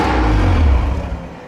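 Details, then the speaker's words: Mitsubishi Evo 8, after modifications and lower timing belt cover install: idles briefly then loud rough lurch that sags and dies within two seconds; crank position sensor rubbed by trigger wheel, later cranked but wouldn't start. "when I got all these changes made I went to start it up and it didn't seem to run quite right sometimes it would idle for a little bit and then it did this"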